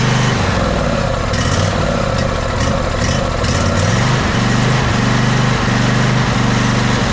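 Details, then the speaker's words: Ariens 20 hp riding mower, twin engine, sat unknown time: after starting fluid burnt off and died, starter churns twin steadily for seconds without firing; cranks no start, suspected no fuel or gummed carburetor. "so just burnt that off and dyed right back out try it again"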